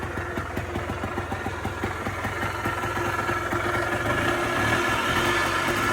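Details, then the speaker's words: Polaris Trail Boss 250 4x4 rescued from scrap, pull-started after the idle screw was turned up: steady, even single-cylinder putter holding a settled idle with no misses or knocks; idling healthily. "All righty, guys. As you can hear, she's alive. She idles. This was all after pull start."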